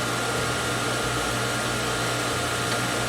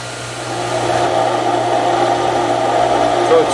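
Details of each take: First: Outdoor garden water pump after repair with new wall hydrant and pressure switch: steady even motor hum with constant whine, no knocking or surging, building pressure to about 55 psi cut-off; no leaks, running normally. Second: Outdoor garden water pump in a boathouse during priming: the steady hum turns rough and gravelly as the pump loses prime and cavitates, then picks it up again.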